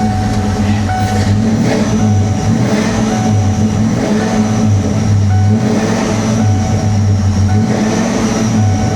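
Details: 1994 SN95 supercharged Mustang GT, 347 stroker, after an alternator replacement (regulator built in) for 18-volt overcharging: smooth, even idle with no belt squeal or whine, charging correctly. A loose spare belt was later found under the engine bay. Normal idle.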